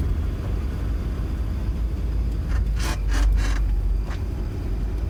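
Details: Ford Transit Mk7 driving over a speed bump: a few short high squeaks over road rumble, pointing to a squeaking suspension part; cause unknown.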